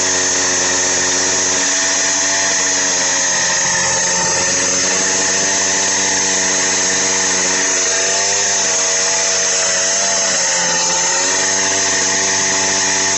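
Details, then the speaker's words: Minarelli two-stroke on a motorized bicycle with a China doll CVT, first solid run at half to quarter throttle: high buzzy note whose RPM sags as the CVT engages and loads the engine; healthy running. "as soon as that CVT opens up the engine RPM you can hear it start to slow down a little and I'm only going like half quarter throttle on this right now"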